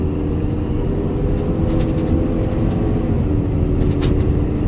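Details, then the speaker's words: Ford 6.7 Powerstroke diesel at 56,000 miles, just off the interstate with temperatures normal: constant deep fan roar at about 2100 rpm though the duty cycle commands no fan. "Currently there's nothing commanding the fan coming on, but listen."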